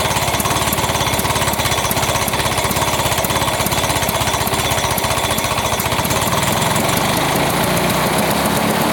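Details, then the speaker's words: 1980s Lawn-Boy two-stroke mower, after cleaning, pull-started with gas/transmission-fluid mix in the combustion chamber: fast, hammering beat with ragged, uneven edge threatening to stall; choke left on after starting, running too rich until choke pulled off. "you could see this throttling when I first started I had it on choke and I left it on choke and it it wanted to stall but then I realized you know pull the choke off"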